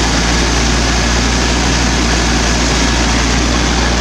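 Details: 1980 Triumph TR7 after replacing the original diaphragm fuel pump with an OEM one, prompted by running and idling issues and limited power above 4,000 rpm. It started fine and settles into a steady, even low rumble with no misses, knocks or hunting: normal idle.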